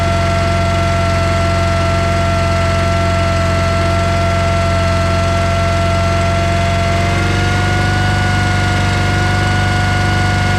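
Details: John Deere 318 lawn tractor that stalled and wouldn't crank, running after power jumped to the starter with key on: steady even low drone, no misses or knocks; starter good, fault traced to a safety switch.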